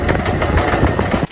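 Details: Electric tricycle with recently replaced motor: uneven clicks tap through the motor hum for about a second, then stop; clicking more frequent at higher speed, formerly occasional; intermittent click from the rear drive, cause still unknown.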